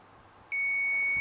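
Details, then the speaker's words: Multimeter continuity test on Vulcan motorcycle alternator stator, red lead to earth: one clean high beep under a second, same on every wire; stator shorted to ground, possibly a burnt wire, owner plans to replace it. "and it shouldn't make that noise. And it does that on every wire. By rights, it should be a nothing. Shouldn't change it. So that means there's a short down in that stator down there somewhere."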